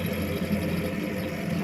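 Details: Ariston balanced-flue (through-wall) domestic heating boiler with front cover removed: steady buzzy rattle over the fan hum; owner finds the fan turbine vibrating because its silicone damper bushings are broken, pump silent, plans to replace bushings and bearing.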